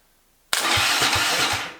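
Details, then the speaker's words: Freshly rebuilt turbo 660 engine, first start attempt: starter spins it with even compression pulses about four a second, but it never catches; crank no start, with no RPM/crank sensor signal reaching the computer, cause not yet found. "Well, I've been out here for a couple hours now trying to figure out why we don't have any RPM signal going to the computer."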